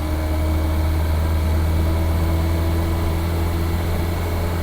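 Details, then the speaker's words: Classic Reliant Regal with owner-rebuilt engine, once seized, heard while driving: smooth, even low drone, no tapping, knocking or misfire over road noise, smooth as a sewing machine; healthy engine. "It's a nice noise when you're driving it as well. Smooth as a sewing machine, that engine, if I do say so myself."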